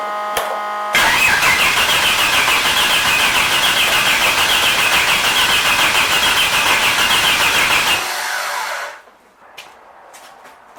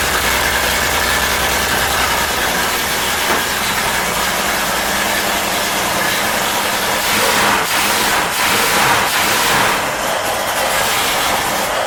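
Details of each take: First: 250ci Ford inline-six after fitting new distributor with Hall-effect pickup: starter cranks steadily about 3.5 beats/s for seven seconds but engine never catches; owner suspects timing off or weak battery charge, not confirmed. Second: 250ci Ford inline-six running again after new Hall-effect distributor, retimed timing, new gaskets and rewiring: loud, busy engine runs about twelve seconds with even beat, no misses or knocks, before shutting off; running fine.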